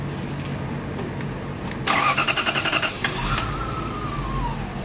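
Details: 2000 Lexus GS400, crank-no-start with no check engine light, many parts already replaced: starter cranks in a quick even beat, engine catches briefly then fades and stalls; excess fuel suspected, cause unconfirmed.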